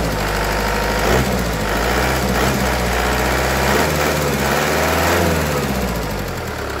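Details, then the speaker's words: Kia Carnival after repair, warm engine with scratched cylinder liner and weak hydraulic lash adjusters that tick when cold; once hot, steady even idle with smooth low hum, no misses or knocks, engine running smoothly. "tapi kalau sudah panas dia lebih halus ya ini mesinnya anteng ini mesinnya anteng mesinnya anteng banget"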